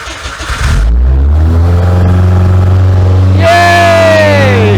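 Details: Hillman Imp "Hilda" with a Citroen Saxo VTR engine and motorbike carbs, off the road two years, first start, carbs leaking: starter churns, engine catches into a rough idle, revs rise and ease back.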